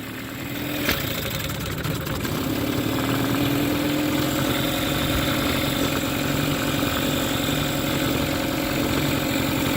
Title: Mercury 15 hp outboard backfiring/misfiring